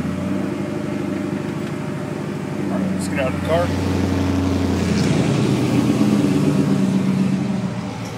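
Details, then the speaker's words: Dodge Rampage hard to start, suspected misfire with no misfire code (only long-standing P0463 fuel sender code); uneven, lumpy idle with low pulses about three per second; coil packs and wires checked; rough running. "car won't start it seems like it's misfiring the only thing is it's not throwing a DTS code"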